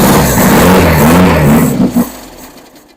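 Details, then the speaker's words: Rebuilt engine, first start after months, gravity-fed tank: catches and roars briefly, then stumbles and dies within two seconds; starts then stalls, fuel delivery problem suspected, possibly fuel pump, unconfirmed. "Yeah, I got fuel issues. Damn."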